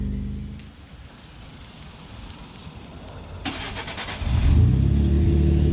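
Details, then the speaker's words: Ford F-150 3.5L EcoBoost, real cold start after sitting overnight, after days on full synthetic oil with Lucas heavy-duty oil stabilizer: fires and settles to a smooth even idle with no cold-start rattle; owner hopes the earlier rattle was a timing chain dry start. "we have not experienced a cold start rattle noise"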